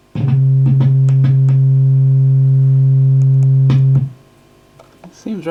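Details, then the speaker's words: Marshall JCM900 amp with low-volume distorted output, board being flexed: a clean held note cuts out abruptly to near silence at the slightest touch; intermittent effects-loop jack contact, possibly a dry joint still to be checked. "i'm just flexing the board up and down very sensitive that i wonder just the slightest touch on there and it's coming going"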